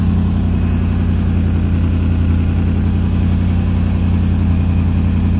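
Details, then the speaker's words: 1951 International rat rod build fitted with a Toyota 4Runner cab, first start after wiring work: steady, even low idle with a smooth beat and no knocks, misses or whine; running well. "And it's running good too."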